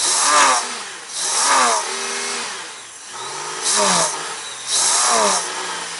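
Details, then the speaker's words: Honda GL1500 Goldwing after carburetor clean with accelerator pump and idle fixed, not warmed up, on choke; catches cleanly and revs up and down in four even blips; normal revving. "oh we got the accelerator pump fixed and the idle fixed so maybe with the air cleaner on it just needs a little bit of drag from that I don't know yet I'm still working on it seems to be doing better now"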